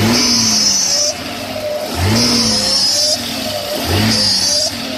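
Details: 1996 Audi A6: a recent noise when accelerating or revving. Three throttle blips each bring a high, thin whine rising and falling with the revs; source not identified.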